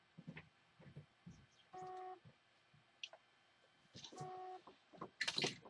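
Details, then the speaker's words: Seagate Barracuda external hard drive after a PCB swap: two short steady beeps about two seconds apart with no motor spin-up; drive fails to spin up, recovery unsuccessful; owner suspects the drive itself, not the PCB, is burnt. "well it's beeping our recovery is unsuccessful"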